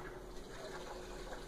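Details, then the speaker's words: Electrolux LTS12 washer, eight years old, loaded with clothes and blankets, which previously shut off during soak, restarted: steady gurgling rush as the pump pushes water up and it returns, even and unbroken; pump working properly. "que estou vendo aqui ela acionou a bomba está jogando água pra cima que o retorno dele está tudo certo isso é certo"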